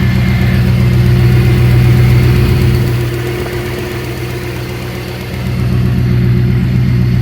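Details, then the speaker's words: Smooth idle on a 1972 Dodge W100 Power Wagon, 318 V8 automatic, mostly stock: deep, even V8 burble, dipping slightly then recovering before shutoff. Radiator has no water, so it was shut off. "She sounds really good. Like, I'm surprised. I don't even like these engines, and it's probably the smoothest sounding 318 I've ever had."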